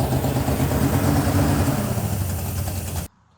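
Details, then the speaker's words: 1971 Plymouth Satellite 318 V8 with a freshly fitted Thermoquad carburetor: a steady, raised fast idle around 2,000 rpm because the secondary air door, linked to the choke pull-off, is hanging up. "I'm setting the idle speed down, but I noticed that the secondary air door is hanging up, and that's causing it to idle fast."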